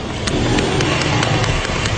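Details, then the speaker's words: BMW M5 brought in with an engine-knock complaint: after a throttle blip, hard, sharp, evenly spaced knocks about four per second come from the engine; heavy internal knock. "парень приехал на BMW M5 с жалобой на то что у него стучит двигатель"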